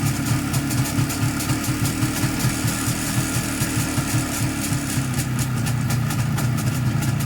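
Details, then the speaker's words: 1987 IZh Jupiter-5 (transitional model) two-stroke twin idling with a busy metallic rattle and ringing over each beat; owner suspects pistons, wrist pin or crankshaft, also possibly the engine chain. "Не знаю, что в нем звенит, но мне кажется, это либо поршневая, либо пальчик, либо коленвал."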